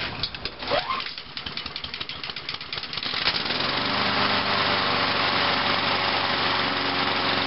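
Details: Craftsman mower with new starter rope, pre-primed cold start: after some pulls the small engine catches and settles into a steady, even buzz at constant speed, running normally.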